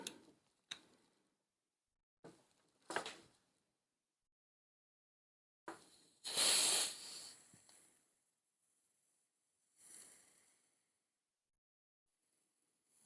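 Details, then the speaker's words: Lee Enfield replica .177 BB CO2 magazine with a rotted seal bodged from a modified Crosman seal, silicone oil, fresh CO2 bulb: short puffs, then a loud sharp hiss dying away; CO2 leaking past the magazine seal before it seals. "It's leaking straight through, you can hear it. Saying that, it might have just sealed now."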